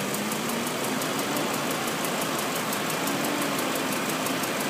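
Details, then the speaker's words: 2001 BMW 540 (E39) at idle: a fast, even light ticking keeps pace with engine speed and seems to come from the passenger side of the block; source unconfirmed. "Here's my new 2001 BMW 540. It's got a clicking noise, so I'm trying to get some video."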